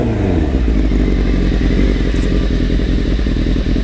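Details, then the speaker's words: Restored 1995 Honda CBR600F3 (engine largely redone), fully warmed up in the garage: steady, even idle as the cooling fan kicks on with a faint whir; no knocks or rattles, sounds great. "that's how she's all warmed up now it tells you the happy bike now I think the fan just kicked on"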